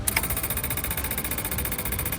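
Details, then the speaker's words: Old backhoe after new fuel pump installed, water found in sediment bowl: quick even ticking about a dozen a second from the pump with no engine running, pushing air then fuel; pump working normally. "Oh, look at it chugging away. Okay, let's see if it's going to bring fuel up. Oh, there it starts to come. You can hear the air."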